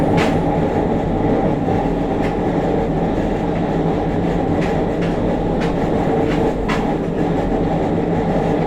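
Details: JR Kyushu 303 series set K01, car 4 MoHa 303-1, recorded directly above the Hakata-end bogie between Shimoyamato and Hatae: heavy mid-pitched groan over the rail roar and clatter, with strong vibration tied to motor rotation. Abnormal traction motor noise, cause unknown.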